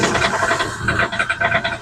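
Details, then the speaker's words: Hyundai i10 Grand Magna 2013 diesel, long parked, just after start: hard, uneven knocking about six or seven a second with hunting speed, heavy black smoke, check engine light on but no DTC; ECM change. "गाड़ी start करने के बाद उसमें से खटखट की आवाज आ रही है।"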